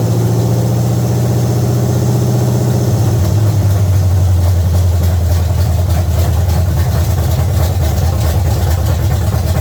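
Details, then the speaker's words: 1970 Chevy C10 305 small-block V8 with new intake manifold and carburetor, timing still to be set and distributor clamp fitted upside down: deep even burble settling to a slightly lower steady idle, no misfire or ticking; running normally. "yes hopefully you tell our camera wasn't too loud but it's running amazing definitely gonna check or set the timing"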